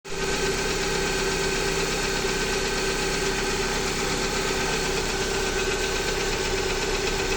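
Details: Jeep Patriot 2.4 with a knock that appeared a few days ago: steady idle with a fast, even tapping over the engine note, unchanged as it warms; origin unknown.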